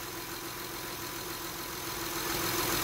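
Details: 2010 Honda Odyssey at idle right after alternator replacement; steady, smooth idle with a faint even hum and no knocks, surges or whine, with battery voltage now holding constant.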